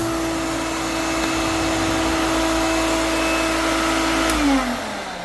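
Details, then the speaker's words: Vintage vacuum cleaner with full bag, first switch-on: steady high motor whine that suddenly sags, seeming to cut out for half a second then recover; owner suspects something loose, unconfirmed. "It sounded like it cut out for half a second and then came back on. I don't know whether there's something loose."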